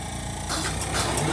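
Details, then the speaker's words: 2010 Camaro jet car with a Boeing T50 turbine engine and 700R4 transmission, first start attempt on a 28-volt battery with only a little fuel: a rushing whoosh builds over about 1.5 seconds as the turbine spools up. Normal turbine start. "It just tried to start. There is fuel in it. It just tried to start."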